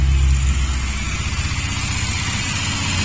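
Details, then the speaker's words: Morris Minor, after cleaning the carburetor float bowl, float and needle valve for overflow, started with pull starter and a little throttle: quick catch and steady even running, no float bowl leaks so far; normal cold start. "starts there pretty much straight away"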